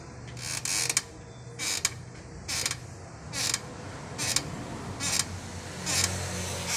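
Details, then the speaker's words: Renault Sandero, in for a steering rack check, rocked by hand. A dry, high creak repeats about once a second from the front right control-arm area, possibly loose; the steering rack is doubted, cause unconfirmed. "Então tá vindo daqui pessoal dessa área aqui"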